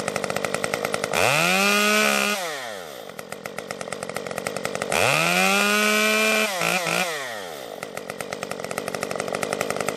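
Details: Stihl MS 194T top-handle chainsaw after muffler mod (inner baffle removed) and tuning, cutting red oak; climbs cleanly to a high steady scream twice, holding pitch through each cut and dropping back smoothly, cutting normally without bogging.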